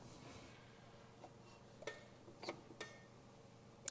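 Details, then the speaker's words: Rider scrubber during preventive maintenance: sharp light clicks as the foot pedal is touched, the automatic parking brake releasing and setting to hold the machine; normal parking brake engagement. "When they're running, if they take their foot off the pedal, the motor winds out, stops the machine, and the parking brake sets to hold the machine in position, and you can hear the brake go on and off when I touch the"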